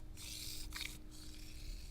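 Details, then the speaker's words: Unrebuilt Rockshox Judy cartridge damper stroked by hand: hissy, bubbling squish on each stroke instead of a smooth quiet action; air in the damper oil, needs rebuild. "So that's got air in the system."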